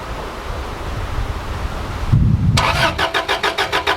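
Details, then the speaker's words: Subaru RS Liberty AWD turbo manual parked 10 years, fuel pump heard priming: steady cranking about three and a half turns a second with no firing; cranks but won't start, fuel or spark unknown. "right oh that is not how we wanted that to go but we could now try and work out whether it's fuel or Spa"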